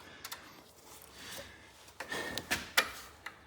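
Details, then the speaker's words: Cub Cadet 1440 mower carburetor fuel solenoid (Briggs & Stratton carb) tested with the key switched on: a few light, sharp clicks in a quiet room; the solenoid pulls in properly. "I am going to test it one more time to make sure. I'll turn the switch on. And it worked. You can hear it click."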